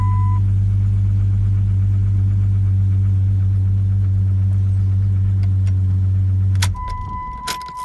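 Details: 1997 Jeep Grand Cherokee with an intermittent alarm that shuts the engine off, started after unlocking with the fob: a deep, even drone with no knocks, misses or surging, then it shuts off with a couple of chirps.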